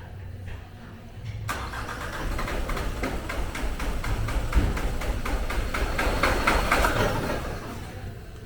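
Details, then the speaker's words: 2020 Nissan Qashqai 1.5 dCi K9K with no fault codes, cranked with an injector leak-off kit fitted. Starter turns briskly, about four beats a second, almost catches but never starts; injectors suspected of leaking back rail pressure: crank no start. "I'm going to show you what this car is doing. It almost sounds as if it wants to go."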